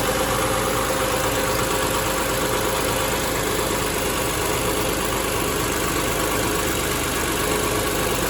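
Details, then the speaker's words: 2005 Ford Freestar 4.2L after cooling fan assembly replacement: the new fans spin up with a steady, even whoosh of airflow and no ticking, rubbing or wobble. Normal cooling fan operation. "I don't know if we can even see the fans back in there but we'll be able to hear them run"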